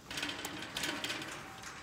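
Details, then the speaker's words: Trailer wheel rocked by hand: light, irregular clicks and clatter from play in the hub; owner hopes the bearing just needs tightening and lubing; wheel rattle, likely loose wheel bearing. "here and I can hear it rattling around so hopefully we just need to tighten up the bearing and lube it up"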